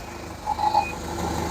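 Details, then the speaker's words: Hyundai 30L-7M forklift with a GM 3 L engine and GCP system, running extremely rich with an unburned fuel smell and the check engine light on: it idles roughly with an uneven, lumpy pulse and faint whine, with a throttle delay but no bogging. "I if you can hear that but it's running a bit rough at rido it has power but kind of has a delay"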